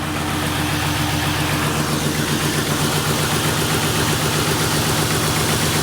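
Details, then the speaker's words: 1998 Ford Crown Victoria P71 police car, misfiring since engine pressure-washed, water suspected in plug wells, after plug work: rough stumbling idle about four beats a second, slightly better but still misfiring; owner suspects injectors needed. "it sounds like it actually is running a little better I mean definitely still misfiring but it does sound like it's running a tad bit"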